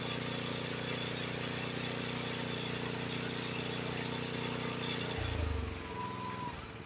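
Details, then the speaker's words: Honda HS724 snowblower single-cylinder engine moved from idle (about 2130 rpm) to fast throttle, about 3610–3620 rpm; runs fast, smooth and even at steady high pitch, then drops away, normal fast throttle. "That's where your idle should be on the 724. Now I'm going to put it in a fast throttle."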